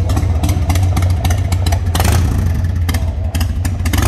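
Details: Restored 1995 Harley-Davidson Sportster 1200 after a full service with new tires and suspension, start-up and revving: deep, lumpy V-twin rumble picking up cleanly with each blip, some sharp clatter on top, but no obvious fault.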